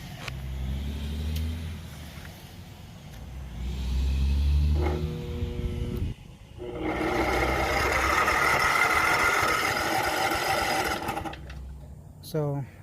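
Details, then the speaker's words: Craftsman Professional self-propelled mower with 179cc Kawasaki engine, weak battery (10.5 dropping to 4.5 when cranking) jump-started from a 50-amp engine-start charger: the engine spins over steadily for several seconds. The starter works. "there, it turns over. So the jump start was enough to turn over the motor, so we know the starter works."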